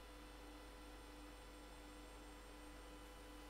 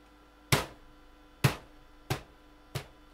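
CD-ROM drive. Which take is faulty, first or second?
second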